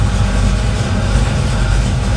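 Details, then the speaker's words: 1968 Chevy truck, 502 crate V8 with Edelbrock EFI, Hooker headers, MagnaFlow exhaust: low heavy rumble holding a steady idle around 600 rpm, no knocks or misses; normal healthy idle. "See it idling at about roughly around 600."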